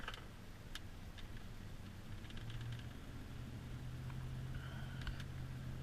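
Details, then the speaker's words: Vehicle driving warm through a sharp turn after 10 minutes idling: steady engine and road rumble with light rattles, no ball joint knocking or tie rod play; minor exhaust leak that fades as it heats. "But here's a sharp 90. You can see it just soak up that patch. No ball joint, you know, knocking. No tie rod play."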